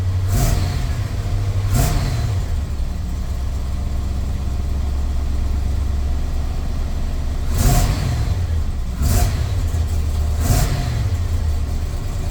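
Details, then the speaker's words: Chevy square-body crew-cab dually with 454 V8, after O2 sensor replacement, warming up, slightly rich: steady idle with five quick throttle blips rising and falling cleanly; maybe peppier, more responsive, no bogging. "Maybe seems a little bit peppier. It always did that idling up thing when it was cold. Wow. It seems a lot more responsive without bogging down."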